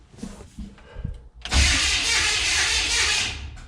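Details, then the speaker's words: Abandoned 1970 GMC 2WD longbed pickup, sat 20 years, cranking after a new ignition switch: harsh, high-pitched grinding screech from the starter whose drive gear isn't meshing properly; starter needs shimming. "ufta she's noisy we better check this starter shimmy joe that's a terrible noisy starter sounds like cats in there"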